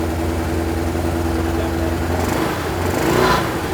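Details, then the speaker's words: Suzuki Katana barn find, first start after 31 years standing, original spark plugs, warming up: uneven lumpy idle with missing exhaust beat and vibration, running on three cylinders; owner suspects a broken-down original plug. "it's definitely on three cylinders now but the plugs are the original plugs she probably a broken down plug been into it"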